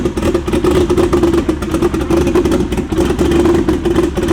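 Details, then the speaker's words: BMW E92 Prospec build car, freshly started six after the engine was reinstalled, exhaust not yet made: runs rough with uneven surges and dropped beats at idle. A light misfire remains, not yet diagnosed. "We still got like a little misfire, but I'll dig into that some more and we'll get back to you when I fix that up."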